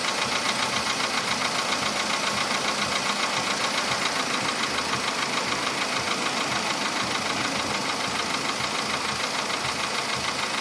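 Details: VW Polo Sedan engine at steady idle, now 67,000 km: a sharp, fairly regular knock about 2.5 per second; it appeared faintly around 61–62,000 km and has sharply intensified; the cause is not yet known.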